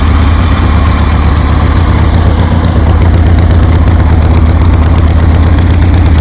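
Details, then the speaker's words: 1973 Harley Sportster V-twin with CV40 carbs installed; loud, lumpy idle with steady potato beat of about four pulses a second, holding even and strong, sounds good. "Heat. Heat. Damn, that sounds good."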